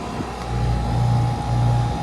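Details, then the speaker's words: 2000 Rheem Classic Series 10 two-ton air conditioner outdoor unit, motor recently replaced, running: quiet steady low hum with even fan rush, no rattles or surges; normal running, line very cold. "This unit is really quiet, much quieter than this room right here, but this also sounds really nice when it runs."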